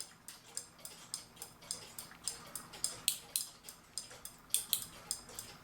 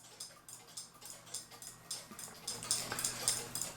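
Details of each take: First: Keebler "Love Bird" clock with its winder out of the clock. The worn click spring (clicker) on the winding shaft fails to hold, so the key runs backwards. Crisp metallic ratchet clicks, two to three per second and slightly uneven. The ratchet is not holding. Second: Newly received Keebler cuckoo clock, already wound, with one bird fitted: light, crisp, even ticking just under two beats a second in a quiet room. The movement is running normally. (The winder fault concerns a different Keebler "Love Bird" clock.)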